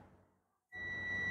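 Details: Perodua Axia air-conditioner compressor relay bench test with multimeter: quiet pause, then a sudden steady high-pitched continuity beep that holds; relay contacts close, relay is good, unlike the failed one reading open.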